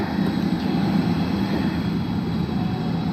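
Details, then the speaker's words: Rooftop unit gas heating with gas valve failure lockout, after resetting the fault: the draft inducer motor spins up with a steady, even hum around 200 Hz and no knocking or rubbing, running normally. "see what it does saying it's my gas valve we will find oh out if it even goes that far there's my inducer"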